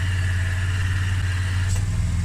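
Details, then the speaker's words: AU Ford Falcon at idle, AC recharged from 134a to Minus 30 HyChill, line freezing while cabin not cold; faint high hum cuts out near 1.7 seconds with a tone shift as the AC compressor clutch disengages to cycle. "there it goes just cut off thin so that needs to cycle you can see that line up there I was talking about it's now defrosting"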